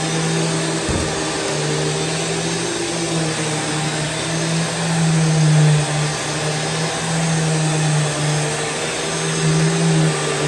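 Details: Rainbow E Series vacuum, curbside find, after reinstalling parts, internal gasket found bad, filled with water and pine fragrance: steady motor drone holding one even pitch with a soft airy rush, no rattle or grinding; runs normally.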